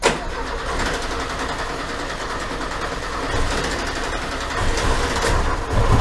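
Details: 1980 VW Gol left unused in a garage for 10 years: rough uneven chugging while cranking, then catches and keeps running with a lumpy idle that picks up; engine cranks and starts.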